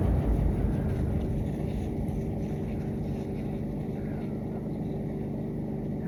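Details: 2006-2007 Lasko 3733 box fan running on medium; steady even whoosh with faint low hum, no rubbing or rattle; runs smoothly.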